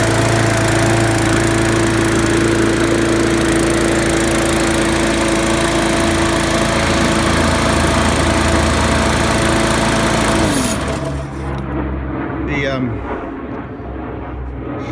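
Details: Trash-picked Murray mower with a Briggs & Stratton 300E series engine, after cleaning the carburetor and gas tank and fitting a sharpened, balanced blade; holds an even, steady single-cylinder beat for ten seconds before shutting down, running normally.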